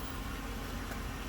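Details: 2014 Jeep Grand Cherokee 5.7 Hemi, no-crank traced to starter wire connector (owner believes rusted from humidity): even, steady low idle with no knocks, misses or odd noises; normal idle.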